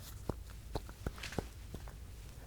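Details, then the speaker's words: 1996 Lexus LS400 with 230K miles: sharp, hollow clunks each time the front wheel is shaken up and down, about half an inch of play, clunking when backing out; worn front ball joint. "we inspected and found a bad ball joint let me show you guys what it looks like so when i give the wheels a little shake up and down i was able to find this was our clunking noise"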